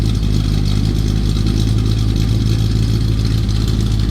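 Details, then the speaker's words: Square-body Chevy, four-speed 4WD, engine freshly rebuilt (new cam, lifters, valve job, bearings, rings), good oil pressure while warming up: deep, steady V8 idle with a slight cam lope, no knocks or ticks. Normal idle. "I'm sure you probably can't hear that all that good cuz his phone likes to cut that out. But does it's got a little cam to it."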